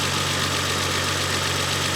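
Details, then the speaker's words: Renault 25 V6 Turbo, cold engine, idle control valve reconnected after ECU burning problems: steady idle without hunting or stumbling, where it used to stall when cold; normal controlled idle, owner unsure the repair will last. "I think it is this is definitely a controlled idle I can hear it"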